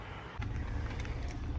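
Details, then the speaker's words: 2014 Jeep Cherokee 3.2L Pentastar V6 at warm idle after replacing bad fuel injector (cylinder 1, formerly 3, heated harness): low steady rumble, no misfires. "Good sign, people, sitting at idle. No misfires. Gotta love it."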